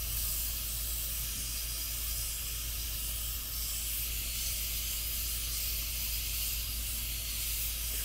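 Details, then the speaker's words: Afghan Kazan aluminum pressure cooker on a wood campfire, up to pressure about 40 minutes from dinner: steady even vent hiss with no sputter or pulsing; normal venting. "the steam is coming out pressure's built up you should back off the flame a little bit just maintain it it doesn't need to be on high the whole time"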